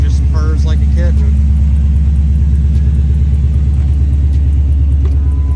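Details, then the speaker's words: Coyote-swapped SN95 New Edge Mustang (1999-2004) with new fuel system, fuel pumps audible at key-on; fires right up, idle drops to about 800-900 rpm after 10 seconds: deep, even V8 burble, smooth regular pulses, no knocks, misses or ticking; normal idle. "Fires right up. All our gauges are working, thanks to Nathan Hensley. It idles down rather quick. After about 10 seconds, the idle goes down to about 800, 900, and"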